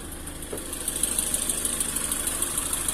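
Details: Lada Granta 11182 engine at 13,900 km, warm: light, quick ticking at about three per second that comes and goes. A stethoscope locates it at cylinder 2, slightly cylinder 4, near the plugs; disconnecting plugs changes nothing. Intermittent ticking.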